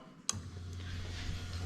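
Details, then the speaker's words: Lexus LS430 3UZ-FE VVT-i with a plug-and-play harness for an IS200, J160 6-speed manual, during a harness test: the fuel pump relay is switched, giving one crisp click, then a steady low electric pump hum. Relay and fuel pump work normally. "and you can get a pump working away there so we're happy with that"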